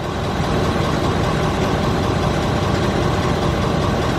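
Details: 2019 Ford F-250 6.7 Powerstroke diesel idling right after fuel filter replacement, started after priming: steady even idle, smooth low rumble, no misses or knocks; healthy.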